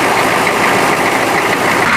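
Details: M1028 CUCV diesel truck idling after a new alternator; clear tube shows essentially zero blow-by: loud steady even rumble, no misses, knocks or surging; engine healthy.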